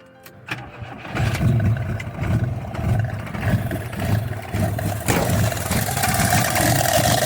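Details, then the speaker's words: Fiat 125 Bialbero running on CNG through a newly installed gas injector at the carburetor, air filter not yet properly fitted: engine catches after a short crank, then idles lumpy and uneven with a wavering beat; rough idle. "First, the running is irregular. I accelerated and it runs fine, of course."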